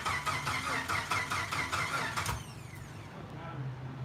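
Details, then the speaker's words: Rebuilt fuel-injected engine: rhythmic cranking about two beats a second with sputtering attempts to catch, then it cuts out. On starting fluid it ran only three to five seconds; clogged injectors or a weak battery are suggested, not confirmed. "it's looping where it's trying to fire yeah we've been there it started in ran for three to five seconds from starting to it's not gonna do that"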